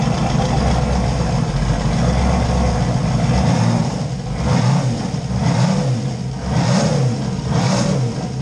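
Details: LS 5.3 V8 swapped Fox Mustang, first start after adding fuel to dry tank, 60 psi fuel pressure on one pump: deep even burble climbing cleanly with each throttle blip and settling back smoothly; running healthy.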